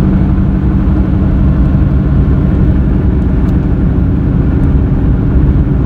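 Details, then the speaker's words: Car after its front left wheel bearing was replaced, cruising; noise unchanged, so the tires are suspected: deep steady roar with a slow throb, rising with road speed; tire roar. "thought the sound was coming from the left driver's side which it is so we changed that one out and the sound is still there so i'm gonna take a second look at the tires"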